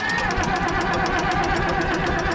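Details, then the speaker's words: Old auction Ford engine, already warm, cranked on the starter with the decompressor engaged: fast, even cranking with light regular chatter and no compression strokes, turning freely without firing. "Look at this cranker. It's been warm. Oh, decompressor works. Yeah. No compression."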